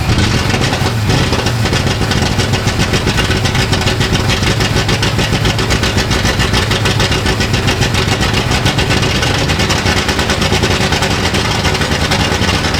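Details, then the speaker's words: Ford Galaxie with a supposedly rebuilt engine running fast and loud with a lumpy, unsettled idle and 60 psi oil pressure; carburetor issues suspected, and a replacement carburetor is planned. "Okay, we got it running. It runs, and it's got 60 pounds of oil pressure. It's got some potential carburetor issues that we're going to sort out."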